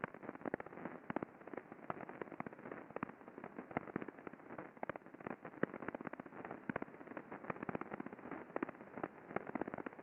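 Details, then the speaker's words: Grease-lubricated bearing at a chemical processing facility, heard through an ultrasound instrument before greasing: dense crackling and sharp irregular pops over a steady hiss, showing impacting in the bearing. "so as you can quite clearly hear there is impacting going on there we can see it in the waveform but you know my my first exposure to this bearing was that crackling and popping that sound of impacting that was happening in the bearing"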